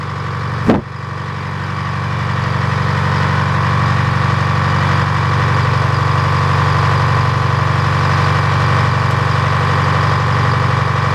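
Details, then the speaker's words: Detroit diesel engine restarted: steady, even diesel clatter at constant speed, no misses or knocks, no smoke at all; normal running. "this will be a pretty happy that uh I think he got the whole thing it sounds good"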